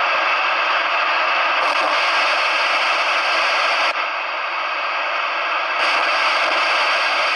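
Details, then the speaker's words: CB radio self-noise test with squelch off, full volume and antenna disconnected. Loud constant rushing hiss that steps slightly as settings change: the receiver is far noisier than it should be. Cause unconfirmed. "no i przy odłączony antenie sprawdzamy sobie szum własny odbiornika w momencie kiedy Witam podłączę radio później dotknę czymś metalowym co do gniazda antenowego No to może najpierw nasz totalny szumow on"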